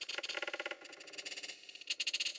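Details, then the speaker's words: Stuart Twin Victoria model steam engine being assessed for repair: sharp, evenly spaced metallic ticks with each stroke while running slowly. The piston seems to hit the cylinder cover at full rod extension; the crosshead jumps at one end and shows excessive slack. "It sounds to me like the piston is actually hitting the cylinder cover as the piston rod is out at its full length."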